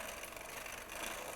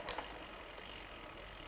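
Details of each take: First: Shimano front derailleur with the chain shifted onto the big chainring: a steady scraping hiss of chain rub on the cage, worse at the other end of the cassette. Cable tension is insufficient. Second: Shimano front derailleur after cable tensioning and limit-screw adjustment on a bicycle: one crisp click as the chain shifts down onto the inner chainring, then a quiet even whir; shifts smoothly.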